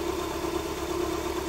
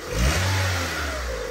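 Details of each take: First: Honda Civic 1.7, 2001–2006, with no check engine light, at cold idle: an uneven, shaky idle with a stumbling exhaust beat as the engine vibrates heavily; a cylinder is misfiring, fixed by replacing the ignition coil and servicing the spark plugs. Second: Honda Civic 1.7 (2001–2006) that was misfiring on a cylinder, after coil replacement and spark plug cleaning and gapping, revved cold. Two clean blips with revs rising and falling smoothly and no misfire, shake or exhaust rattle. Normal revving.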